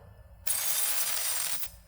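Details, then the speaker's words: Mychway 6-in-1 cavitation RF machine with the 40K cavitation handle, energy set, tip touching the water surface: sharp steady high hiss starting and stopping cleanly; the handle is working normally. "as you can see there is a continuously using sound if you set energy for the 40k cavitation handle and you can hear the continuously boosting sound so this 40k cavitation is working now"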